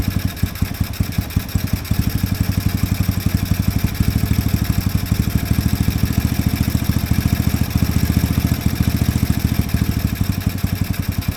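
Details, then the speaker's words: Chinese single-cylinder mini Jeep after idle screw adjustment: steady thumping with speed and loudness hunting up and down on its own; owner suspects sticking, gummed carb slide and ports. "well that carb is going throttling up throttling down even when I just made a slight adjustment to that I do believe possibly that slide is getting stuck"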